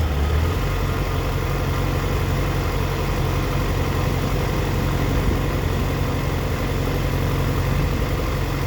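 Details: 2004 Yamaha FZ6 misfiring when coming down to idle: uneven, stumbling idle with occasional sags, dipping as low as 970 rpm against a warm spec of 1260–1320 rpm. A bad ignition coil is suspected; unconfirmed.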